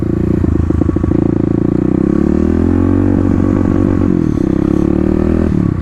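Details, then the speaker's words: 2018 Kawasaki KLX250 with 351cc big bore, full exhaust, EJK fuel controller and snorkel, revved in place: faint stutter in exhaust note around 6,000 rpm; slight misfire at high rpm, before Power Commander fitted. "So on my bike here, we are going to be able to fix a little bit of a misfire here at 6,000."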